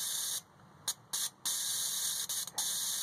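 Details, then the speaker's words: Nissan 240SX fuel injector off the car, bench-tested with voltage while flushing with carb cleaner, cleaned to cure shaky idle and low power: short sharp hissing bursts start and stop cleanly each energising; injector spraying normally. "comes on whenever I apply voltage to it. So nice and clean, and now we'll put it back in the car and hopefully that fixed the problem."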